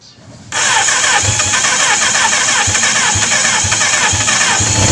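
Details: Kawasaki GPz 400 after its hard-start problem from an overflowing carburetor was solved. The engine catches at once and settles into a steady, even idle with no stumbling; it starts and runs cleanly.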